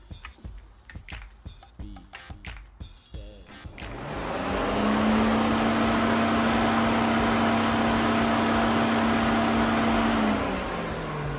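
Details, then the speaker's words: SN95 Mustang GT cooling fan wired straight to a 12 V source, bypassing the CCRM: spins up to a strong, steady whoosh at high speed, much stronger than under CCRM control, suggesting the CCRM isn't supplying enough current; high-current relay planned. "that sounds way different to me did that sound different to y'all it definitely sounded way stronger to me"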